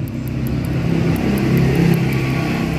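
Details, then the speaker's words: Kawasaki KLX150 after fitting a PWK carburetor, idling with a fast light metallic tick from the worn carb slide chattering and vibrating in its bore, needle clip set too high; slide piston also damaged and lifts. "Biasanya kalau teman-teman ganti karbu, ini selah bunyi pada jarum skep ini ya, tuh. Ini selahnya terlalu tinggi nih."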